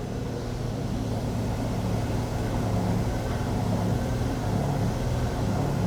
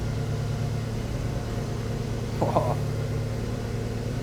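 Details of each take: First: Daihatsu Copen, car lifted, front wheel spun freely: gritty, rough low rumble on one side while the other is silent; noise when driving turning slightly left and under light braking, worn wheel bearing suspected, drive shafts ruled out. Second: Daihatsu Copen on stands, open diff, wheels spun by engine while checking for bad wheel bearings: even low drone with no growl or grind from this side; no noise here, this bearing is normal, the opposite side is bad.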